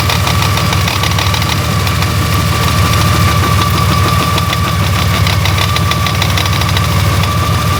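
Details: Honda Gold Wing GL1800 idling: uneven knocking through a steady whine and rumble, worsening over time with occasional vibration felt in the handlebars; abnormal internal engine knocking, source not yet found.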